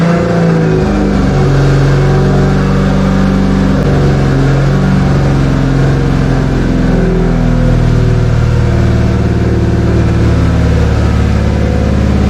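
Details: 2JZ swap with T-56, first run after starting: engine steady at a raised idle with occasional pitch surges; idle too high, vacuum leak or a misreading sensor suspected, cause unconfirmed.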